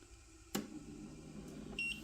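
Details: KOKONI 3D printer just plugged in and switched on: a click, then a short high beep pair over quiet room hum as it powers up and begins its 30–60 second self-test, normal.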